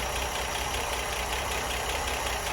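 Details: Ford Granada Mk1 3.0 V6 Ghia being recommissioned, warmed up, running from jerry can fuel supply: steady, even idle with smooth low rumble, no knocks or misses; V6 sounds healthy.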